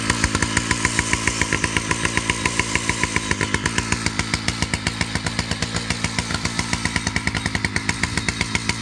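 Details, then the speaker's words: Husqvarna 2100 CD 100cc two-stroke chainsaw with a 32-inch bar and 3/8 .058 chain, no chain brake: fast, steady idle at elevated speed with a slightly blubbery edge, so the chain keeps moving; idle set a bit high and it runs slightly rich. "so she's idling a little bit high which is why the chain continues to move while the saws at idle also runs a little bit rich you could hear it when I wrapped it out"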